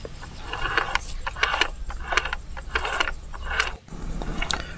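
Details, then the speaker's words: Yamaha Mio M3 scooter final-drive gearbox, rough when closing throttle, turned slowly by hand after reassembly: ratchety krek-krek clicking and grinding bursts; bearings seized from water ingress, gearbox dirty. "apakah masih terdengar suara krek krek krek gitu kan ketika kita putar nah ketika suaranya seperti ini kalau langsung kita pasang nanti suaranya akan tetap kasar ya"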